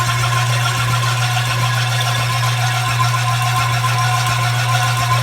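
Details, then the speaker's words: Reel mower set up for backlapping, reel driven in reverse after adjustment: steady low motor hum with light, even hiss of reel brushing the bedknife; normal contact, visible on top where it hits. "And you can hear the reel onto the bed now. Now if you look at the top, you can see that where it's hitting."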